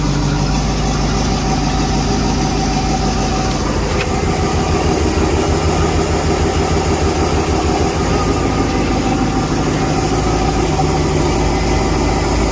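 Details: Volvo Penta boat engine after work on clogged exhaust manifolds and risers refitted (exhaust alarm at wide open throttle): catches and settles into steady even idle with water splashing, no knocks or misses; normal start after repair.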